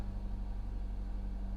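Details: Supercharged Jaguar XF not started in a while, heard just after a cold start: the idle carries a regular light knock over the hum; a rod problem is suspected but not confirmed.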